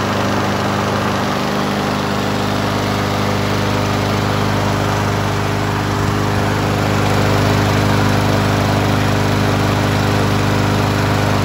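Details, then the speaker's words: 2019 Troy-Bilt TB110 mower, 150cc Briggs & Stratton, previously hydrolocked from overfilled oil; piston cleared, oil at correct level, smoking while it burns off leftover oil; steady, even single-cylinder drone, no misses or knocks, normal. "I'm going to see if I can run this for a little bit and it's going to smoke like a chimney while it's burn off all the oil"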